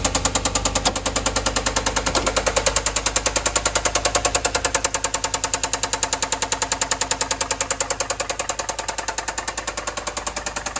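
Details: 2013 Ford F-150 6.2L: heavy, rapid, very even knocking at about 200 per minute through the whole run. Serious internal engine knock, taken to a general overhaul.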